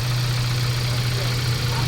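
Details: Mazda 3 1.6 four-cylinder after cylinder head work, needed because a badly warped engine block damaged a valve: even, steady low idle hum, no knocks, misses or rhythm changes, checked for coolant bubbling; normal idle.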